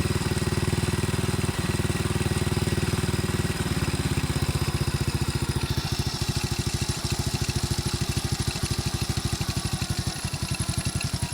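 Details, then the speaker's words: Carbureted single-cylinder motorcycle after carburetor tuning, idle screw lowered: settles to a slightly lower, even putt-putt idle, pulsing steadily without missing or stalling; mixture correctly set. "So kahit nakababa yung minor, ang ganda ng andar, ang ganda ng tunog ng makina."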